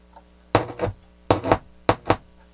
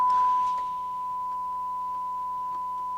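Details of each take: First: Toshiba SA-300 stereo receiver, first power-on after tuner recap: three pairs of sharp deep thumps over quiet hiss on the right channel; considerable DC offset on right output, left channel quiet. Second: Toshiba SA-300 stereo receiver after repair, a 1 kHz signal-generator tone through the left channel: clear, steady tone with one brief break, clean output. The right channel earlier had DC on it.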